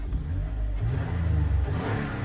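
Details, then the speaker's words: Toyota Highlander, believed to be a 2007, after fixing rattle sources and a small exhaust leak, revving in park: smooth, deep rev rising and falling with no rattle, ticking or puffing; exhaust sealed, problem solved. "you know what it does sound a little quieter i think we did have a little exhaust leak all right as the rpms rise and fall no noise at all"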